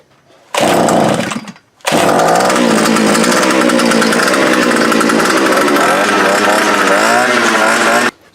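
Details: Fence-post auger's small two-stroke, after replacing the broken fuel primer bulb, fuel lines, carburetor and spark plug: revs up crisply and holds a steady, even buzz with no stumbling or misfire; throttle cable being adjusted; running properly.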